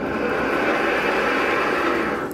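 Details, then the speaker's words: 2013/2014 Ford Explorer rack and pinion, turning the wheel: steady gritty grinding that fades as it stops; rack internally worn, likely from dust entering through a broken boot; car had been in an accident; rack being replaced. "that was the noise they were complaining about and i guess the cause of it was this boot broken and a lot of dust came in"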